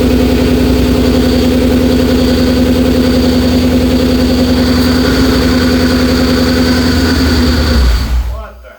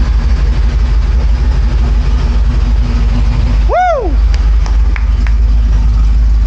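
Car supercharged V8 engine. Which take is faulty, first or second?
first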